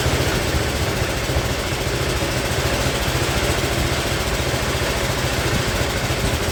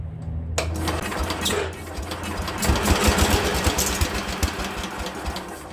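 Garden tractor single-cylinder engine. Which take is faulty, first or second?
first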